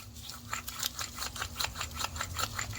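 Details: 2006 Chevy Cobalt wheel bearing turned off the car: gritty crunching rasp in bursts four or five times a second; worn wheel bearing grinding.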